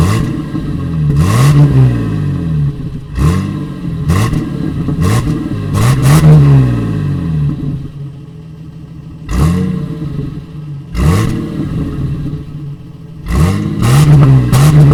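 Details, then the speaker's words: 1988 Toyota FJ62 Land Cruiser after fitting a new stainless exhaust system: repeated throttle blips rise and fall cleanly with a deep, even burble between them; the engine runs healthy. "i finished revving the car like a redneck i was just trying to show you the little bit of a burble we're getting at this new exhaust it's pretty nice"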